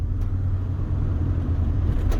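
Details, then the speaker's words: Ford Transit van at over 50 mph after adjusting the doors to cure wind whistling on both sides: only a low, even road and engine rumble with no whistle or rushing air; no wind noise at speed. "anything else but listen no noise absolutely no noise it did take a little bit more tweaking um but no noise"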